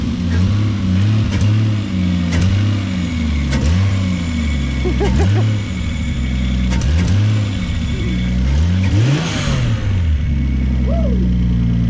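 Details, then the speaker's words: Toyota Supra truck with a 7M-GTE turbo six, warm, after oil pump/oil pressure upgrade and a Supra fuel pump fitted: quick blips about once a second climb cleanly and fall back to steady idle, no knock or rattle, no leaks; normal revving. "Sounds good, bro. No leaks. Sounds real good."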